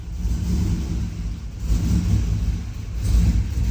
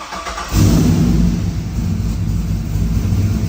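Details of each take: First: Turbo 6.0 AWD Silverado first fire-up, tune not yet updated; low uneven rumble surging and sagging every second or two, hunting and barely holding idle, stalling; needs a tune before it will idle. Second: Turbo 6.0 AWD Silverado first fire-up, O2 sensor had read lean; quick crank, fires and flares, then drops to a steady, even lumpy idle without hunting; starts and idles fine.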